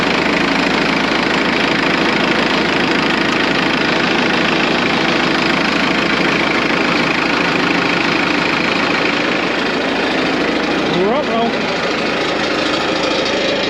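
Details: Morbark 2400XL track chipper's 4BT diesel idling: a steady clatter at an even idle pace, about three beats a second, with no stumbles or misses; healthy running.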